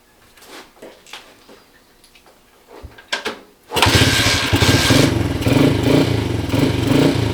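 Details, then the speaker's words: 1977 Honda CT 125 motorcycle revival, first start attempt with fuel in the tank, choke on and carburetor hopefully primed: a few quiet clicks, then it catches at once and settles into a firm, even single-cylinder idle with no misfires; sounds tough. "It even sounds pretty tough, eh? Yeah. Very apocalyptic."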